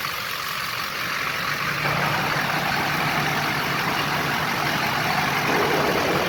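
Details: Duramax diesel at idle with old fan clutch welded fully locked, driving the fan straight off the water pump, shroud on: steady loud rushing roar of air, no cycling or fade; fan pulling full air constantly.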